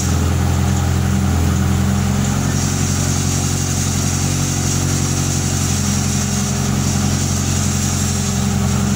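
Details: Fiat Tempra 2.0 16V, cold, just started with the hood open: a loud steady idle drone with a fast, loose churning pulse. Rod bearing, piston or a simple bearing suspected, source unconfirmed; the exhaust is also loud.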